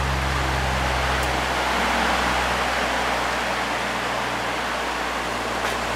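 Even airy rush with a low steady motor hum on high speed, no rattles or scraping; the fan runs smoothly and healthy.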